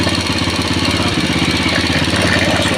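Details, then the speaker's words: Old single-cylinder motorcycle said to idle smoothly when cold but run rough after 20–25 km, now hot: quick, even idle with steady ticking and no knocks or rattles, showing the oil pump is working well; normal idle. "bisa kalian tengok memang kalau dia langsam suaranya gini guys ya kalau pompa itu bekerja dengan baik jika sikit gini aja"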